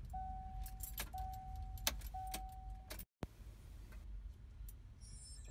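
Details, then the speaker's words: 2001 Subaru Forester after fuel pump replacement under rear seat (old pump whined loudly and car sputtered), key cycled to accessory to build pressure: three short steady whirs between key clicks; new pump priming normally, much quieter. "so turn your key back and forth from Accessory a couple times you can hear the one filled enough pressure I'm going to do it say five times see if that's good"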